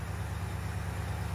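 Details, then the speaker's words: Recreation L79 small-block in a 1965 Malibu SS after new seals, warmed up (not fully) at about 950 rpm: deep, even V8 idle. The earlier tick has gone; healthy idle. "it's warmed up I don't know if it's completely warmed up but the tick went away which is good"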